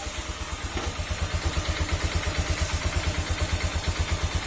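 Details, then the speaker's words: Honda Click 125 V3 scooter engine at idle, crank bearing and cam rocker arm already replaced: steady low knock about three per second, louder when hot; said normal for V3, worsened by idle set too low. "parang gumanon parang ano may lagutok ito yung makina at ah lumalakas Ian kapag mainit Iyung makina sa version 3"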